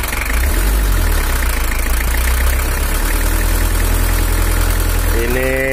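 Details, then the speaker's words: 1983 Toyota Hiace LH11 diesel (2L), complaint of low power, during tuning: heavy uneven diesel knock at idle with a shaky beat; mechanic suspects camshaft or an uneven injector nozzle, then adjusts the injection pump; nozzle housing seeping. "Sepertinya noken asnya atau nozzle-nya kurang rata, ada goyangnya, ada sedikit ginjal."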